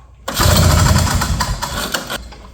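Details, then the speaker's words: 1970 Ski-Doo Olympique 335 two-stroke snowmobile, jets turned nearly all the way in: a rough two-second burst of uneven firing that sputters and dies. Flooded, with lots of gas coming out the back of the carb. "Oh, I think we're definitely flooded at the moment. Seeing a lot of gas coming out of the back of the carb there."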